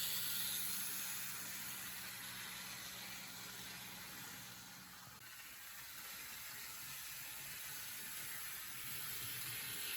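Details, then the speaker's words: Restored vintage 1957 Revell HO-scale Union Pacific 0-6-0 dockside saddle tank model locomotive lapping the loop on DC power; faint, quick, even gear ticking about four per second with light hiss, smooth and steady; runs fantastic. "amazing so as can be seen this model runs absolutely fantastic not only does it look good it runs good good"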